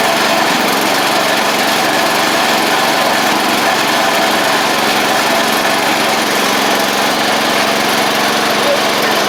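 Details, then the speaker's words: 1985 Wheel Horse 312-8 garden tractor after revival work including the fuel system and carburetor; small single-cylinder engine holds a steady, even buzzing run with no misses, knocks or surging; it runs, drives and the deck works. "Runs, drives, deck works, and can't really ask for much more with these machines."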